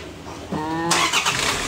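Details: 2012 Toyota Fortuner diesel after a crank-no-start fault (ECM and key immobilizer losing communication; aftermarket turbo timer fitted): starter spins briefly, then the engine catches within a second and settles into a steady run; normal engine start.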